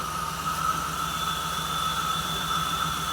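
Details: 1979 Jeep CJ-5 run for the first time after sitting 29 years, no ticking: steady airy hiss with a thin whistle over a slow, rough-pulsing petrol idle, a vacuum leak.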